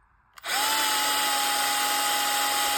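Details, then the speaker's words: Bosch GSR 12V-15 drill with a new motor, case on but not screwed together: steady high whine starting cleanly at an even pitch with no stutter and no smoke; motor runs normally before the case is tightened. "you can hear the motor is running fine. There's no smoke."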